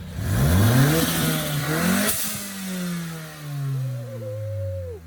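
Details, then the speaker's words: 2016 Ford Mustang EcoBoost, new engine 5,000 miles ago, tuned on E85 with a big turbo, freshly started and warming up: revs climb and drop cleanly, then a crisp blow-off valve hiss as throttle shuts; healthy. "All right, she's alive, she's running, it has oil, it has coolant, so we're gonna let it warm up and hit it 1-2 time, hear that blow-off valve."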